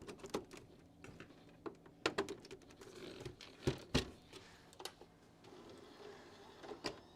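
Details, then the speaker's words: Original Xbox DVD drive after fitting a new rubber drive belt: soft motor whir and light clicks as the tray slides out and back in smoothly; tray works properly. "Closes and opens now."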